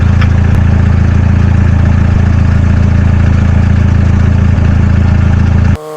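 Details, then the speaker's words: VW Golf GTI with 308,000 miles, idling and blipped to heat the exhaust: rapid, regular puffing tick on the exhaust note, about four a second, from an exhaust leak missed at first check, sealed with gun gum. "I somehow missed this leak when I was checking it the first time so now I have to apply more gun gunum"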